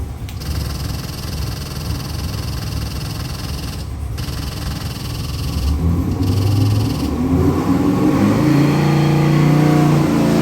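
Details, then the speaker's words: Ford 427 stroker small-block crate engine, carbureted Holley 750cfm, 535 hp, forged internals, on dyno at startup: deep V8 rumble climbing in revs, smooth with no knocks or misses; oil pressure perfect; healthy. "We're gonna fire it up and give you a run demo. That's what you call about firing up. Beautiful. Oil pressure perfect."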